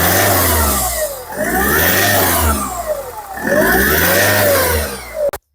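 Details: Engine with suspected turbo noise, actually an exhaust manifold leak, after fixing the leak: revs up and falls back in clean sweeps, pitch smooth with no hiss or puffing; normal revving.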